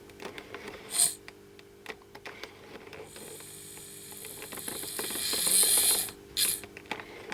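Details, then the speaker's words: Hornby Jouef Eurostar 3211 model locomotive, motor isolated from the drive shaft and run on track: quiet, even whir with light mechanical ticking; runs perfectly. "each bgy is fitted with pickups one there and fold jum and it's running perfectly well so obviously we got lubrication on the bearings"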